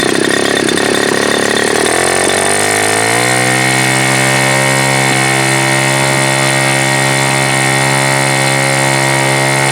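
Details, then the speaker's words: Super Tigre G4500 glow engine, first run: note wavers and rises unevenly for three seconds, then settles into a steady high whine; throttle transition issue, owner suspects the Super Tigre mid-range (spray bar rotation) adjustment. "Yeah, so this definitely has a transition issue, and I don't know if it's because of that or what."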